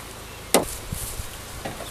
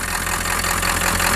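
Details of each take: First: 1997 Ford F-350 pickup with swapped-in engine that sat 10+ years on a pallet, cranking after a replacement crank sensor was fitted: steady strong cranking, even, but it never catches and the tach doesn't jump; crank no start. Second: 1997 Ford F-350 diesel pickup with swapped-in engine that sat 10+ years, just revived: steady diesel idle, slightly uneven loping beat, not perfect yet but no knocks or misses; normal idle.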